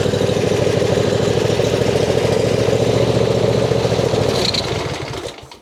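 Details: John Deere Z355E zero-turn mower, long-neglected no-start bought as a project, cranked after a linkage and spring refit with the tank believed empty: engine catches and runs hard at high speed for a few seconds, then dies. Owner suspects governor adjustment; a broken governor gear was later replaced.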